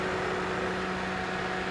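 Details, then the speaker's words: 2004 Toyota Matrix, engine running, AC on, cool weather: steady, even hum with a low constant tone, no clutch clicks or rattles; compressor has cycled off after quickly reaching the set cabin temperature, frequent cycling normal. "Now the compressor is off. You you might be wondering why it's cycling on and off too frequently. Is because the weather is bit cold and it has quickly attained the desired cabin"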